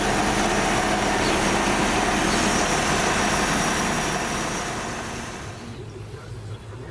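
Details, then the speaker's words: AMC Jeep engine idling after a carburetor cleaning, air pump belt removed to isolate the noise: a fast, regular whirring about four per second over the idle, pointing to a worn water pump bearing. "You can hear the noise. I just pulled off the air pump belt to try and isolate it because I know the pump always made a little noise. And it looks like it's the water pump."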